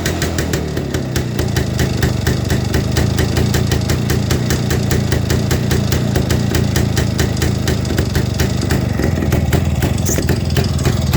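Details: 1958 Kovrovets K175 two-stroke single, just assembled, electrics not working, starting current 220V rectified from 6V: rapid, even crackle firing steadily without misses; normal idle.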